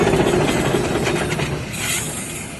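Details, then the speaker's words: 59-year-old T14 turbo, suspected Garrett, on a 1964 Caterpillar D8H dozer, 20.4L D342 diesel, revived after sitting 15 years: harsh scraping grind as the turbo coasts down at shutdown, suspected wheel hitting the housing. "if you catch it you can hear when he shuts this machine off you can hear this dude grinding to a halt"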